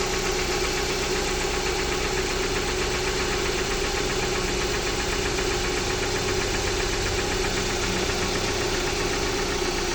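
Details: Jeep Patriot 2.4 at idle, knock appeared a few days ago and doesn't change as it warms: faint even tapping over the engine note, source unclear; engine knock.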